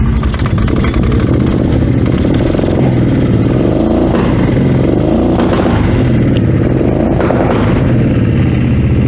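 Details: Cheap used four-wheeler after a choke repair: small engine starts and runs steadily and loud through its exhaust, revs rising and falling smoothly with throttle; runs fine, though the clutches are faulty.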